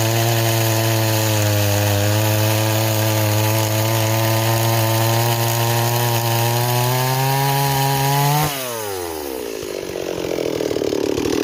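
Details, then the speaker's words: Stihl 026 chainsaw, returned as a no-start, now repaired and running: strong, steady high-revving buzz that holds under cut, then winds down cleanly at shutoff; saw runs healthy (owner prefers 18-inch bar over 20). "okay it's doing a lot better now"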